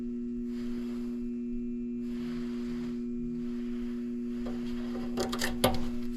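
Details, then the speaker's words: Furnace draft inducer (exhaust fan) motor that is seized: a steady electrical hum with no fan whoosh after the click; the motor needs replacing before the furnace will heat. "You saw how they're in draft motor, Right. and it's just humming."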